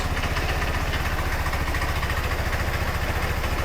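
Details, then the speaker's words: Bike running for the first time, not yet reassembled, no air box or filter: rough, loud, deep lumpy idle with raw blatting beat; owner says it needs a new exhaust. "It works. It runs. Yes, it's not back together like we wanted to."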